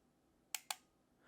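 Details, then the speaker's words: Olympus XA 35mm rangefinder set at F16/F22 under dim studio lighting, with the camera choosing the shutter speed: two crisp ticks about a sixth of a second apart, a slow shutter speed working normally. "you hear the tick tick that's definitely not a fast shutter speed"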